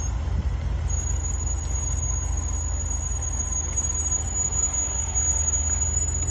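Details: Range Rover Sport SVR braking while driving: thin, steady high-pitched squeal over heavy road rumble; persisted after chamfered and lubricated pads and caliper replacement, and returned about 500 miles after new pads and discs.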